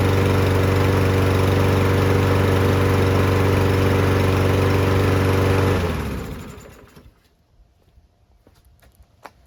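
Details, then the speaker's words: Newer Toro mower after removing water from the fuel, cleaning the carb and fitting a new spark plug: a steady, even drone with no misses or surges before shut-off, and it sounds spectacular. "Yeah, she sounds spectacular. Absolutely spectacular."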